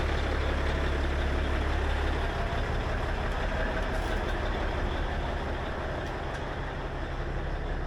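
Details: Peterbilt with a 6NZ diesel after an in-frame overhaul following head gasket failure: deep, steady idle with an even low rumble and no knocks or misses; running smoothly and healthy.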